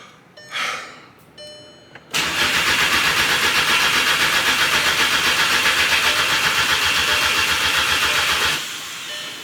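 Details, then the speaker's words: Crank-no-start on an MK6 GTI with its replacement engine just installed: the starter spins steadily at about four beats a second for six seconds and never catches, even after brake cleaner was sprayed into the intake as starting fluid. "Still nothing. What in the world? GTI. Nothing."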